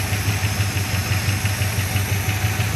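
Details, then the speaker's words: 1975 Chrysler Cordoba V8, first run, coolant temperature building: steady low burble at idle with an even pulse, no knocks or misses; motor described as a little ticky. "It is running here idling. a little tricky."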